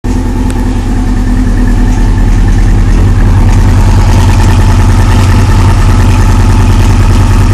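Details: 2001 Yamaha R6 engine with a slight ticking that comes and goes and a little rattle on the gas as revs rise; intermittent ticking with rattle under throttle.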